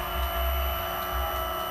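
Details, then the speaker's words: Honda Vario 150 LED (old) scooter after wiring a Cheetah Power power-up 12V feed to the fuel pump (black/white wire) and injector: steady electric hum with thin high whine, louder and crisper than before; fuel pump priming normally. "Nah, ini pun dari suara fuel pump ini lebih keluar, lebih nyaring lagi."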